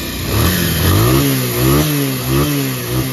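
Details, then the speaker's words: Bajaj Pulsar after carburettor overflow, wash and pickup problem repair: crisp single-cylinder blips rise and fall cleanly with throttle, no stumble or cut-out; problem solved. "जो कि देख सकते हो problem finally solve हो चुका है।"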